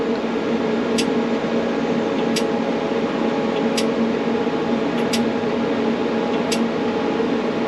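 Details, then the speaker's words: FMTV military truck, diagnostic-tool actuation of front-left ABS modulator valve at 100 ms: sharp short air clicks about every 1.5 seconds over steady engine hum as it depressurizes and holds pressure; normal valve actuation on test. "I'm going to select for 100 milliseconds, and as soon as I select this, you'll hear it begin to actuate. You'll hear the valve begin to actuate."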